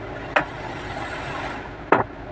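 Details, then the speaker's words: Tata Nexon with AC on, changing temperature setting low to high: two sharp knocks about 1.5 seconds apart over steady blower rush from the blend flap opening and closing; AC thermostat sensor near the clutch pedal to be removed. "इसे blower जब आप AC on करके जब आप temperature set करते हो ना temperature लो high जब करते हो तब ये साउंड आ रहा है फ्लैप जो क्लोज और ओपन होता है ना उसका साउंड है"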